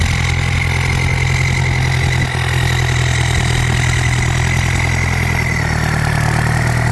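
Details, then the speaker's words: Ford 5000 (68) turbo diesel tractor at light revs off boost, with the turbo praised for its nice whine. Steady, even low diesel rumble with no knocks or misses. Normal running. "อื้อหือเสียงดียังไงลองมาดูมาขับกันได้นะครับสำหรับ68เทอร์โบหอนดีจังเลยเสียงคางดีจังเลยอ่ะ"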